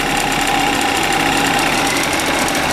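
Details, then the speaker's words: Suzuki Address 110 scooter, crankshaft 11,373 km, piston kit 6,392 km, NSK bearings: sharp steady knock in time with the engine, absent at start, appearing about 10 seconds later and when warm; owner suspects piston or pin, not confirmed. "когда только завел этого звука не было потом через 10 секунд этот 12 там слышно можно что такой неприятный звук пас посторонние такого не должно быть у двигателя"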